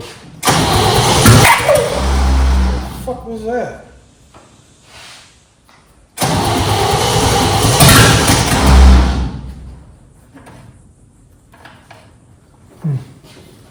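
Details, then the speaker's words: Junkyard 1969 Chevy C10 with spark; two rough, dragging four-second cranking bursts, engine never catches; starter sounds tired, owner blames the starter and suspects distributor cap and rotor or a sticking carburetor; labored cranking. "The starter just ain't happy. Soon as I turn the camera off, of course, it wants to do more. This starter is just horrible."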